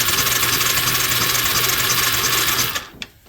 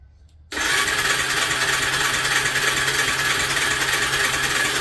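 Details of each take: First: Suzuki LT300E ATV, being restored for no spark: steady electric-starter whirr with even chugging about three times a second, engine spinning freely without firing; spark present, so the suspected bad ground was not the problem, CDI now suspected; normal cranking. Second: Suzuki LT300E ATV cranking on its electric starter while the stator pickup signal is metered: six seconds of steady, fast starter whirring that never fires; pickup gives about 2 V trigger signal, so CDI probably faulty; no spark.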